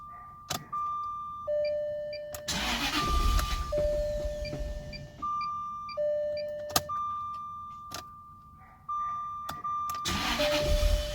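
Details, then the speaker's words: 2000 Jaguar VP supercharged project car after a split fuel Y-pipe was suspected of killing both pumps: catches several times, each run surging briefly then dying within seconds, faults still showing. Engine stalls after starting. "Alright, it didn't want to stay running. Wonder why that is."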